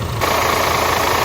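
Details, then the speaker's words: DAF CF85 Euro 6 truck diesel idling after repair of a top-end knock: worn inlet camshaft and rocker arms replaced, engine brake and tappets adjusted. Smooth even idle with a light air-leak hiss on top, no knocking or misses, no oil leaks; healthy. "No oil leaks. Good. Sounds alright, sounds really good."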